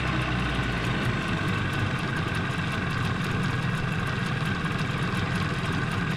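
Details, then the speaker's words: 15 hp Mariner outboard after carburetor clean, not fully warmed, on choke: low throbbing idle with uneven lumpy beat; dislikes gear, owner thinks it needs more warming; rough idle. "Definitely doesn't run smooth."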